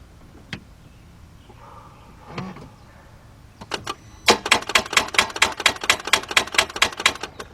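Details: 2004 Mercedes-Benz C320 3.2 that stalled while driving, no crank, during voltage-drop test at 11.86 V with no drop found, grounds good: rapid dry clicks about six a second, engine never turns; cause not found.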